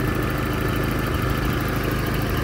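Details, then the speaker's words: 1994 Toyota pickup 22RE petrol engine idling steadily and evenly with a low rumble and no knocks or misses, despite some disconnected and missing hoses and loose belts; engine sounds good. "a pesar de eso, el motor se siente muy bien y muy parejito."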